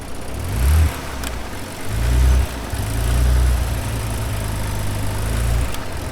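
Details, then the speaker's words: Ford Bronco Raptor on an off-road trail with throttle loss and sluggishness under load, dirty air filter; engine blips cleanly in neutral, rising and falling smoothly with no misfire or knock, cause unexplained. "It is so slow. And why are you stuck? It revs fine. It revs in neutral. It free revs fine."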